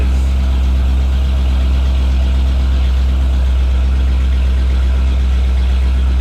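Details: 1989 Jeep Wrangler YJ first start on newly installed ACES EFI, timing set to 15° advance; deep smooth steady idle, no misses, ticks or hunting; normal idle.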